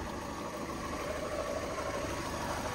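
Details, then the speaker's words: Ford KA stuck in first gear with a failed gearbox, slipping clutch and oil leak: at idle a steady rough, gritty rattle comes from the clutch/gearbox area. "can you hear the can you hear that noise that's the clutch in the in the um the gearbox"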